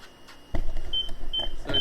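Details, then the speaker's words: Fiat 500C with newly installed rear parking sensors, ignition on and in reverse gear: short, clear, high beeps about every half second over quiet cabin rumble; the sensors work as intended. "So as you can probably hear, they're working. Success."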